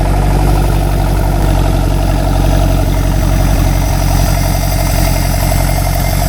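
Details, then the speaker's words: Rare experimental four-cylinder big-block engine revived after 15 years, freshly tuned, hot: loud deep idle with steady knock about three beats per second that sounds like rod knock but is exhaust echo. "Sounds like rod knock, but it's the exhaust echoing."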